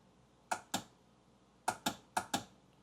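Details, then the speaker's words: Kawasaki 1100 STX jet ski, plugs out, battery about 12.39 V: sharp single clicks in quick pairs from the solenoid area with no cranking at all; the starter motor had failed and was replaced. "Okay. So, we're getting a clicking sound. It sounds to me like it's coming from this box here."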